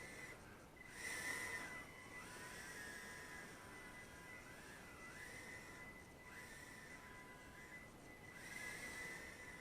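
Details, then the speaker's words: Eachine E010S brushed-motor tiny whoop drone during a thrust test: thin high-pitched whine sliding up and down with throttle over soft hiss; raising the PWM rate to 32,000 would make it less annoying. "it's got that annoying hiss to the motors if you change your pwm rate to 32,000 that will uh make that sound a little less annoying that whining noise"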